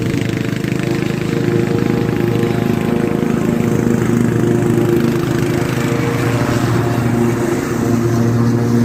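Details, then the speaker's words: Restored Craftsman T100 riding mower after belt replacement: engine runs steady with blades spinning evenly, none of the earlier marbles-in-a-steel-drum deck rattle; normal deck operation. "not exactly sure what it happened but the deck actually sounds like it's supposed to Mary's going to be happy the whole neighborhood is going to be happy because it's not going to sound like a bunch of big ass marbles running around in the steel drum"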